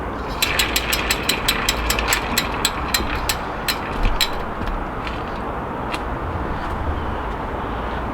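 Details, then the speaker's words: Moulton bicycle's newly built rear wheel with a Sturmey-Archer FW 4-speed hub, spun: fast ratcheting click slowing as it coasts, with a gritty notchy undertone even when only finger-tight; rough hub bearing. "that's something all right brother tie to notchy too that sounds horrible actually and that's not even tight"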